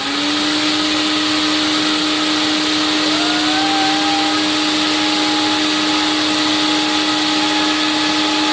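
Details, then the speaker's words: Late-1980s TriStar CXL vacuum on airflow/suction test with all standard filters and cleaned bag, about 120 V supply: smooth steady motor whine, slight pitch lift as airflow load changes, no rubbing or grinding; motor sounds okay, condition unknown, bearings due for replacement. "I have no idea what condition it's in because I haven't taken the shell apart yet to see what it looks like but it sounds okay more or less"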